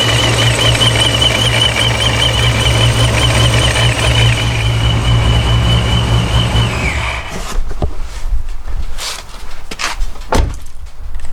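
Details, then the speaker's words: Forged 426 Hemi with a D1SC supercharger, fully warm (oil 210, coolant 197, trans 132) after about 11 psi of boost: a high, wavering gritty gear whine over a hot idle until shutdown. The rock-crusher grinding is normal straight-cut blower gear noise, barely audible with the hood closed. "I didn't know it was gonna make that rock crusher grinding marble sound but um I'm not it doesn't really bother me with the hood clothes that you can barely hear it so not a big deal"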